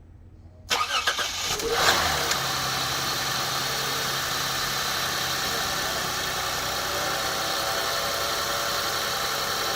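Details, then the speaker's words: 2006 Lexus GS300 3.0 L with crank-no-start and P0351–P0356 coil codes after engine and harness swap, now running after replacing a blown fuse that restored 12 volts: brief crank, catches within a second, smooth steady idle; normal start. "started it's idling by itself now what i'm going to do i'm going to check what we still have here clear the check engine light"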